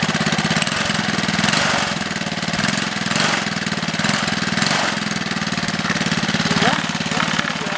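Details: Small 3HP single-cylinder engine on a Wheel Horse, run after gasket installation to stop oil leaks: quick, even patter holding steady with no misses or knocking; runs healthy.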